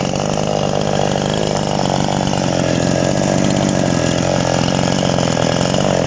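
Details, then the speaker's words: TOMITSU 5800 chainsaw with sprocket-type clutch drum, carburetor screwed in too far: high, thin unloaded scream that never settles; lean carburetor mixture that needs backing off before bar cutting. "ถ้าไปใส่บารผ่าผ่าไม้ตัดไม้ครับต้องปรับปรับถอยอีกนะครับเนาะอันนี้ผมปรับบีบเกินนะครับ"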